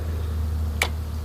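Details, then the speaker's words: Yard Machines 20 Hp 42" lawn tractor with starter issues: single sharp click over a steady low hum as the key turns to on, the starting solenoid clicking in while probing starter wires with a meter; starter, key switch and solenoid tested good. "I poked around on the starter and I figured out which one of these lines when you turn it to on and you can hear a click over here when I do"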